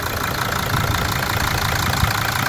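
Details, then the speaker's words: Mercedes 2.7 OM612 diesel at a steady, even idle with ordinary injector clatter and no knock or misfire, after the intake knock repair and a stripped injector thread were fixed and the injector refitted. "А теперь послушайте, как это работает. Сейчас всё работает именно так. Обычный, приятный звук."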